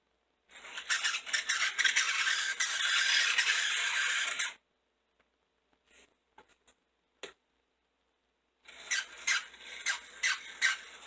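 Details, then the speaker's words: Model locomotive motor from an eBay lot, after adjusting the brushes that were pressing wrongly, shell off: a shrill, rattly buzz for about four seconds, then chattering bursts; runs rough, bottom bearing still to be oiled. "hmm sounds like an angry chipmunk there we go that's what it was"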